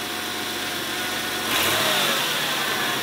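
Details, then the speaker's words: 1991 Oldsmobile Ninety-Eight 3.8L GM 3800 V6 after new spark plugs, wires and fuel pressure regulator: smooth settled idle and a clean quick throttle blip, no misfire or stumble; normal healthy idle. "sounds pretty healthy"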